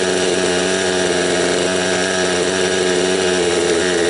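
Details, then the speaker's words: Raptor 30 gasser two-stroke during break-in, heard while adjusting the low-speed needle from one turn out with a very high idle. It was flooding or four-stroking before; now it buzzes at a fairly smooth, steady idle but still runs a touch rich. "As you can hear, it's running a little bit smoother now. She's still during breakup. Break-in time, but that was just to let you know that was one turn out on the low set needle with a very high idle."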